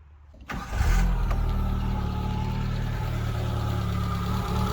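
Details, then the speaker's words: 1984 Holden Drover after fitting a new distributor cap to try to cure a misfire. The engine catches and settles into an uneven idle with an irregular, recurring stumble: the miss is still present. "I just want to hear what she sounds like I've got now I hear the missing huh"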